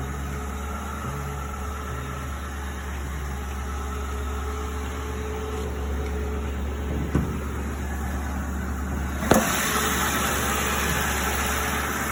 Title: Why does exhaust leak like that!